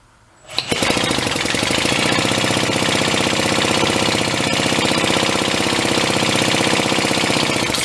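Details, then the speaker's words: Pre-war Elgin cycle engine stored 45+ years, drill-cranked after a shot of fuel down the throat: steady churning at about four beats a second, puffing smoke but no firing; cranks but won't start, owner suspects too weak a spark. "mean, it's puffing smoke, but nothing. I think we found out why it might have been put away."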